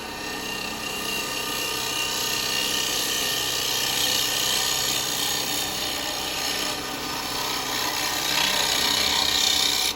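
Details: Lathe hollowing a yew vase with 15mm square carbide chisel, cutter presented to cut: steady even rasp, no chattering brr of scraping; cutting cleanly.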